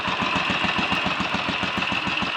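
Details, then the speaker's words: Royal Enfield 500 single (Asbo 34), rebuilt with ported head, barrel shortened 2 mm, Hitchcock's 9:1 piston, strobe-set timing; third start, about 10–15 minutes running since rebuild: steady evenly spaced thump, no rattles or misses, no leaks or smoke, plenty of compression; normal idle. "well no leaks no rattles and no smoke plenty of compression"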